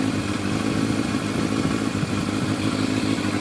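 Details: Yamaha FZR1000 four-cylinder with rebuilt carburetors at smooth, even idle with steady beat, no misses or hunting; Digi Sync reads all carbs 58–60, balanced.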